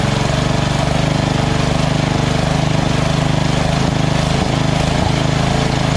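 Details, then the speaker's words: Small single-cylinder mower engine after swapping to a copy Nikki 590399 carburetor on a newer O-ring intake manifold with a curved backward fuel nozzle: a fast, even putter with no speed hunting. Surging is fixed and it idles steadily. "so this is on the lowest idle right here go even lower if i wanted to that's it that's the highest so awesome"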